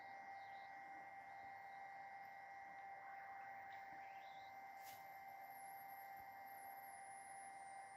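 Quiet room with two thin steady tones, mid and high, whining through the boot; typical of failing capacitors needing a recap.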